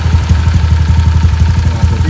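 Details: Honda Vario old 4-valve scooter, stroke-up engine, about 8 months since the stroke-up, R9 Alpha header with R9 Mubilu silencer: quick, even exhaust pulses at a steady idle, deep smooth tone, no misses. Normal idle.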